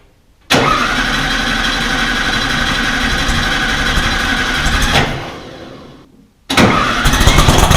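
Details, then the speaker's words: Rebuilt VW 1600 in a Baja Bug, first start: catches after cranking, runs rough, dies near five seconds, relights; ignition timing was about 20 degrees too advanced, fixed by retarding it. "I had to mess with the ignition quite a bit. I had to retard it initially. Apparently when I set it up thinking I was on top dead center, I was probably about 20 degrees too far advanced."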